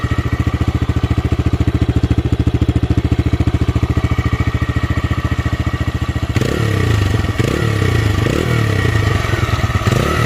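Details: TVS Raider 125 single, old bike at about 28,875 on the clock, compared with a new bike: even deep thumping beat, then smooth throttle blips, no knocks or rattles; healthy.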